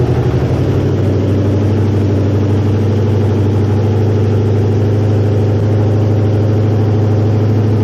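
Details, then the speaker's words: 1969 Mustang with swapped-in V8, first start, electric choke not yet hooked up, oil burning off top of engine: fires quickly, settles into loud steady even idle, no smoke, plenty of compression; normal idle. "but dang this thing does not smoke can tell has plenty of compression holy crap I think she's uh I think she's a runner"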